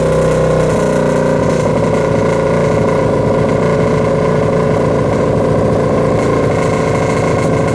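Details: Kawasaki KFX700 quad on fresh gas holds a fast idle with an irregularly stumbling beat and occasional skipped or popping strokes: misfire and intake backfire. Carb cleaned, spark and timing chain checked; owner suspects stuck valve or timing chain, unconfirmed.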